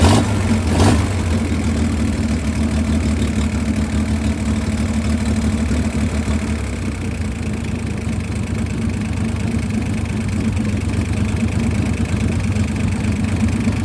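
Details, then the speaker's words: 1962 Chevrolet Corvair air-cooled six, first run after 40 years sitting, on a redone carburetor with gravity-fed fuel and no choke: settles into a steady, even idle with a soft low thrum and no stumbles. Normal idle. "All right, it's idling. We're going to see if it moves forward or backward."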